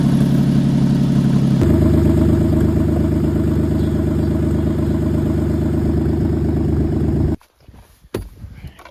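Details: 2003 Ford F-150 single cab, replacement 4.2 V6 after a rod-knock engine swap: even engine run that settles to a lower steady note after about two seconds, then shuts off; no knocks or ticks heard, normal running.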